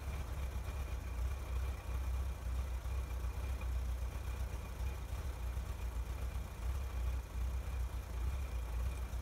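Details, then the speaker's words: 1961 Chevrolet Corvair Lakewood after FAST XR 700 electronic ignition install, air cleaners back on: steady even low burble at idle, no misses or ticks; runs smoothly, sounds much better than before. "seems good well it certainly sounds a lot better"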